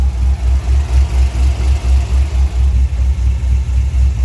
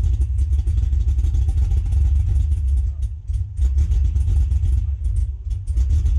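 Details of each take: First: Cadillac CTS-V LS V8 with a healthy cam and likely Flowmaster exhaust, good oil pressure, no lifter noise; deep, even burble about four pulses a second with slight lope, no ticks or knocks; healthy idle. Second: Cadillac CTS-V with LS V8, abandoned car just fitted with battery, first start in person; fires right up but idles low and lumpy, sagging, then shuts off; fuel pump to be primed again, cause not yet known.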